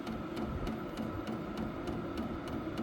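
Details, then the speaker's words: Vevor 8 kW diesel heater, already warm, in manual mode turned up to level five in 40° weather: soft fan hum with crisp fuel-pump ticks about three per second, speeding up to supply more fuel; outlet air climbs to 137°. Normal on high. "click it up to about five and let's see see what it does so you're going to hear it starting to ramp up and you're going to hear the clicks that's the fuel pump getting faster to supply more fuel"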